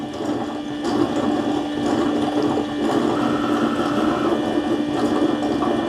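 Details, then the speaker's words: Eufy base station mop wash before mopping: a couple of pumps kick on, clean water goes down, the mop pads spin and the dirty water pump sucks water into the dirty tank, a steady even pump hum with gurgling and swishing; normal operation. "You'll hear a couple pumps kicking on. The clean water tank is putting water down there. The mop pads are spinning, and then the dirty water pump is sucking up the water into the dirty water"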